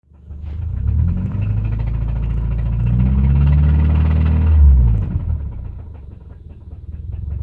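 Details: 2005 Subaru naturally aspirated EJ253 flat-four with a deep, heavy rod knock of about four beats a second from a worn rod bearing.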